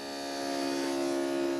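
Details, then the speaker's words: 1950 Ford Shoebox after 12V conversion with new wiring harness, fuel system and fuel cell, electric fuel pump priming on a booster pack with the engine not running: loud steady constant-pitch whine. Healthy pump, just noisy. "all right man you think we could try to start it man that pump is loud I think it's gonna be that loud"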